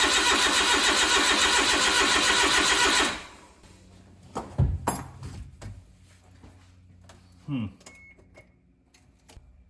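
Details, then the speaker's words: Suzuki Carry with freshly rebuilt engine just installed, fuel now reaching and relay clicking: steady cranking about three and a half beats a second for three seconds, never fires; no spark caused by an ECU connector not fully clicked in. "so what happened was I I pulled the spark plugs out hooked them up to the coils and I was getting no spark there"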